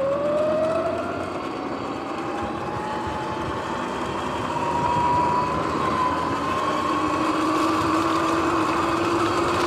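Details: Sur-Ron X electric dirt bike on an evening ride before bearings were replaced: motor whine rising with speed over a rough, gritty rumble from worn, noisy bearings.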